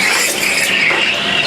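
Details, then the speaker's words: Espresso machine steam wand frothing milk for a medium drink, nozzle purged beforehand; steady high airy hiss with light milk-stretching texture, even and unbroken; normal milk frothing. "frothing hear that hissing that's all you need that's plenty see how quick that was"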